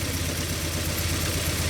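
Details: Ford Mondeo Mk3 at idle, misfiring on cylinders 1 and 4 and increasingly hard to start: a low, lumpy, uneven idle. Low compression is suspected and a compression test follows.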